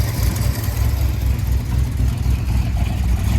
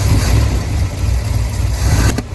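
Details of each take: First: Ford F100 truck (1965/66 body on a 1974 highboy chassis, supposedly a crate 390, automatic), warming up after a carb swap with good oil pressure: a low, uneven drone that surges; it started running rough, and a carb rebuild is planned. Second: 1965 Ford F100 body on 1974 highboy chassis, V8 supposedly a new crate 390, automatic: after a carburetor swap, warming up, the engine holds a deep, steady, even idle with good oil pressure; normal idle.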